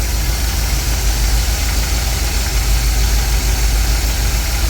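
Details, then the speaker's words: 1959 Cadillac Coupe DeVille, carburetor needing rebuild, timing turned down from about 16 to 5 degrees; low lazy idle with slightly soggy uneven beat under constant hiss; ignition timing too retarded at idle, later set to about 14. "And that was a little too much. Just as little adjustment took it down to 5 degrees, and that is too low."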